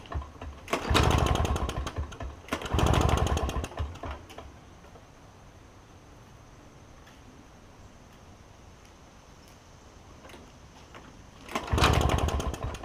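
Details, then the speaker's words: Toro push mower with a two-stroke Suzuki engine, first start attempt after the carburetor was cleaned: it catches and buzzes for a second or two, then dies. A blockage remains, a partially blocked carburetor jet starving it of fuel. "so there's still got a little bit of a blockage that's okay I just wanted to see I don't want to be messing up the car but I just wanted to see if it would run on what I had but apparently it's not going to"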